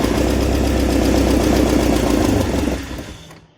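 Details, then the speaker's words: Porsche 944 first start after cylinder head and cam/balance shaft belt replacement, exhaust not yet refitted: starts first go, loud raw even idle throb with open-pipe rasp, steady before shutdown; engine runs fine. "That's good news, everything started. Don't worry about the exhaust noise because I haven't put the exhaust back on."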